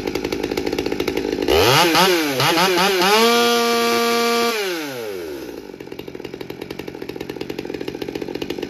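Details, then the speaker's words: Stihl MS200T chainsaw after repair of aftermarket tune-up kit parts (intake boot, carburetor, fuel filter; new fuel line), dry-carb cold start on choke: fires and revs to a clean, steady high whine, then settles smoothly; running normally. "all right dry carb cold start in a perfect world it's usually like the fifth pull on on choke that sounds better already"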